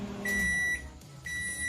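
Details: LG MH7570 microwave on 220 V, tested heating water after repair for a loud noise complaint: steady low hum with clean high beeps, water heats properly; normal operation.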